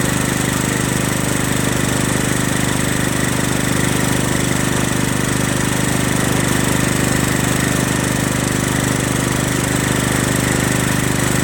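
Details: Craftsman LT1000 lawn tractor, Kohler Command CV460S single-cylinder engine, just reassembled with replacement top-end parts: steady even thrum at constant speed, no misses or knocks; runs great, normal running.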